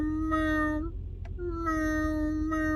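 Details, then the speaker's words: 2006 Lincoln Town Car at about 45k miles: a sustained squeal through each wiper sweep, repeating about every 1.3 seconds. The noise has persisted for 2.5 years; the failing wiper motor was replaced with a Motorcraft unit. "and these wipers, for over 2 years, 2.5 years, they've been making noise since I bought the car."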